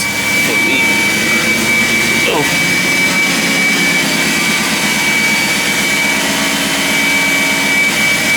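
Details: BMW 540i after starter work, owner suspects weak fan clutch with too little resistance: steady roar of air from the fan over an even engine note with faint constant high whine; running fine, nothing clearly abnormal.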